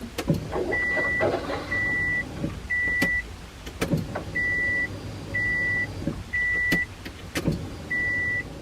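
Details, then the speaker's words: Subaru WRX with new DeatschWerks 40-micron inline filter and DW300 fuel pump, ignition on without starting: seven short, even electric hums of about half a second with clicks between as the pump primes; healthy. "So just turn the ignition on. Couple more times. You'll hear that new filter filling up with"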